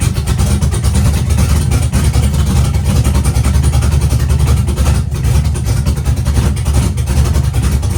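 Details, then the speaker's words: Chevy truck with V8 revived after sitting for years, no water pump fitted, while adjusting ignition timing toward ~25–30°: deep even rumble, no stumbling or misses; running smoothly, much better than before. "It's definitely running a lot better than it was the other day."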